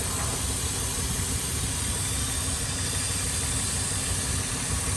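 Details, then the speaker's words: 2002 Ford Explorer with P0171/P0174 lean codes on both banks and rough running, idling, hood open: steady idle with constant airy hiss at back of intake from a cracked, deteriorated vacuum line with a hole; vacuum leak. "this this line right here okay this is totally cracked [Music] and actually oh you hear that yeah this Line's got a hole in it right here"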